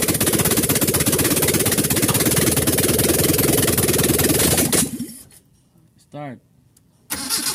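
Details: Carbureted Mitsubishi Lancer after a poorly done overhaul, under test: catches and settles into an even idle about four beats a second, then shut off; steady with no misfire.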